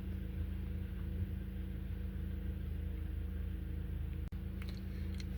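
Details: Warm 2012 Honda Accord 2.4L with codes P0302 and P0303 for cylinders 2 and 3, during diagnosis before the crank pattern clear and relearn fix. It idles with a low, uneven chuff and irregular stumble, an idle misfire.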